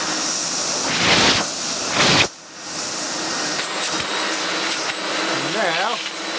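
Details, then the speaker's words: Electrolux Glider Z1820 vacuum after refurbishment, oiled and with the cleaned hose fitted. Steady, even motor rush with a strong airy hiss and no knocks or rattles: it runs smoothly. "barely any problem at all. Smooth."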